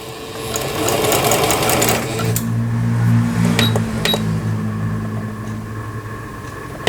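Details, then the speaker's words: Singer Stylist 7258 sewing machine, 110 V-only, after repair of board blown on 220 V and timing/needle bar adjustment; forward, reverse and zigzag patterns 1–3 test: quick even chatter about four stitches per second, clean stop. Normal zigzag stitching. "후진이 잘 되는가 봐야 되고, 전진, 후진, 그렇죠? 바느질 패턴 모양 1, 2, 3의 지그재그."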